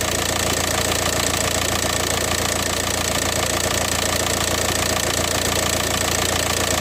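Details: VW Passat 2.0 TDI PD (BHW) diesel after the DIY oil pump conversion, engine covers off: even, regular clatter at a steady idle with no extra knock or tapping; the earlier sound is gone and the engine sounds healthy.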